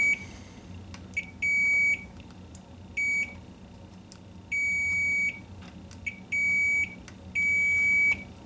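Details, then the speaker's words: K7000 19-inch arcade monitor chassis, 15 A fuse fitted instead of 1.5 A: short high meter beeps as probes touch each flyback position after testing diodes D13 and D14; good continuity everywhere. "Yep, I think that's good."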